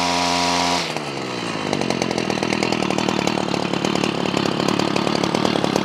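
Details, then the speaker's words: Ryobi CS26 two-stroke trimmer, earlier a no-start, now on a replacement pre-adjusted carburetor: catches and settles into a steady buzzing run after a brief rev, clean and even; running properly. "now this comes pre adjusted I actually want to raise the idle a little bit so let's do that let's raise the idle now she runs good"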